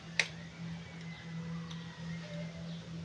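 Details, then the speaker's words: 2016 KTM Duke 200 fuel pump priming at key-on after replacing the fuel pump hose (no-start, power loss, stalling fault): quiet steady low hum with faint tick as pressure builds at the regulator; normal priming. "so titignan natin ngayon kung meron na bang pressure na nagpapakita dito sa ating regulator so try natin start switch"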